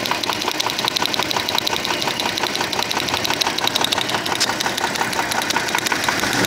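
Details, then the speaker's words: 1996 Audi A4 2.6 V6 petrol: knock almost inaudible at low revs but heard at 2000 rpm; sharp, regular metallic ticking, several a second, sits above a quiet idle. Cylinder to be found by pulling plug wires; source not yet found. "при малых оборотах стука практически не слышно набираем обороты 2000 оборотов ток слышим"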